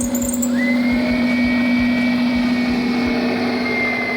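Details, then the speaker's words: 1998 Subaru Legacy after the water-damaged ECU was replaced with a good used unit: steady, smooth idle with no misses or knocks and an even alternator whine. The misfire is gone and it runs healthy. "sounds like it's running pretty good now running pretty smooth [Music] my mist seems to be gone yeah it's running real smooth now"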